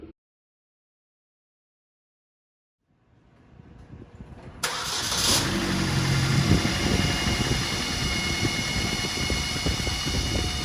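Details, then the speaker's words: 2008 Chevy HHR 2.4L Ecotec at operating temperature (~180°F), started and idling: loud steady high whistling/whining from the engine, excess crankcase vacuum through the PCV system making the oil cap and dipstick suck air. "So, as I just mentioned, this is obvious, very loud whistling, like whining type noise. It's very strange."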